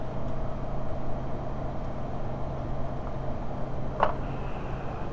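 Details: VW T4 2.5L with intermittent rough running, power loss and a rich smell, acting up in a specific temperature range when cold. Uneven, lumpy idle with a low throb and an irregular stumble; misfiring.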